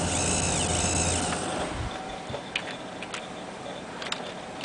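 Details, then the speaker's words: Zalman ZM-1000HP power supply emitting a thin, high-pitched steady squeal, loud alternating frequency, under game load with vsync off (much reduced with vsync on); suspected noisy capacitor or inductor; power supply coil whine. "any game that you want to play that has vsync off is very very annoying I'm going to try and go down to the ground here and let you hear what that sounds like as well"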